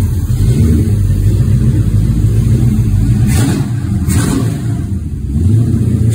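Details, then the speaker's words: Rebuilt 1970 Pontiac GTO 400 (bored .030", KB pistons, ported #13 heads, Crower 60916 cam, Johnson lifters, 800 CFM Quadrajet, Ram Air manifolds, FlowMaster Super 44 mufflers) on run stand outdoors: deep lumpy V8 burble with clean even throttle blips, no clatter or misfire; normal running and revving. "when we get there but it will be a nice running uh better than stock engine uh upgrade from the stock engine"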